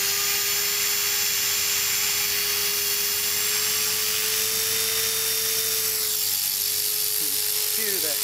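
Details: Trex 450 RC helicopter after crash rebuild with metal head, tail mod and gyro raised from 83 to 87, on a fresh battery: strong, steady high hum with a clean even tone, no wavering or rattles. Normal rotor spool-up.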